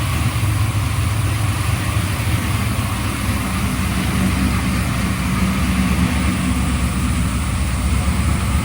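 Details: Freshly built 383 stroker for a 1995 LT1, Eagle forged crank, Holley Terminator X, brief first run on engine run stand: smooth even idle, steady low rumble, no ticks or knocks; water pump leaks from missing gasket.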